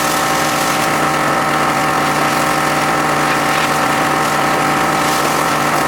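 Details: John Deere X540 mower that came in crank-no-start with no spark, idle about a year; both coils found dead, failed module swapped. Steady, even two-cylinder idle with smooth hum, no misses or knocks: normal running after repair.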